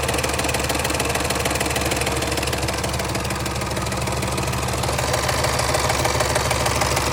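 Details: Range Rover L405 5.0 Supercharged at steady idle: fast, even sewing-machine-like ticking rattle from a slack timing chain caused by a failed tensioner.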